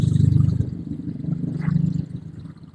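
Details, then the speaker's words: Honda Vario 125 that had a loud clattering noise, after refitting and fixing a small metal part found to be the cause, about 20-minute job: soft, even low idle with no top-end clatter or rattle; very smooth, back to normal. "sudah nyala loh B halus kan sangat halus sekali jadi suara kasar tadi penyebabnya cuma sepele sekali"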